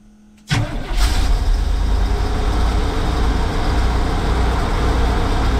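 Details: 1984 Chevy Champion motorhome, not run in years, on a temporary electric fuel pump setup: cranks briefly, catches, settles into a steady even low idle rumble; starts and runs on its own.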